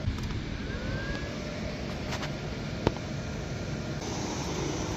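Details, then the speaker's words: 1980s Clausing-Colchester 15x50 lathe motor, converted to 240 V single phase via VFD at 60 Hz, jogged to check rotation; steady even hum with faint high whine, no knocking; about 2.3 A draw, oil pump working, belt slightly loose. "Gonna verify correct rotation direction with the jog motor. Okay, looking pretty good. It's set at 60 Hz."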